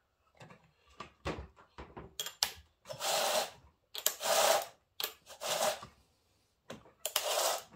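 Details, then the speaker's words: Chainsaw with new bar and chain spun by chain spinner: short bursts of dry, gritty rasp as the new bar's rails bed in; normal break-in grit. "that's better you can hear she's a little gritty that's normal with new bars every new bar I've ever had uh it's a little gritty uh you're gonna polish off the rails when you first run it"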